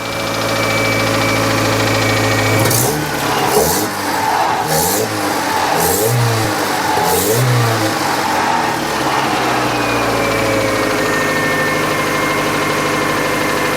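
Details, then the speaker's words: 1998 Chevy Tracker after correcting distributor plug wires to firing order 1-2-4-3 from 1-2-3-4: catches, several sharp throttle blips, then smooth steady idle with no stumble or miss; some smoke afterward. "looked up the firing order I had them wrong I had them wrong on the distrib I did 1 two 3 4 and it's 1 two 43 so hook those up now listen to this bad boy"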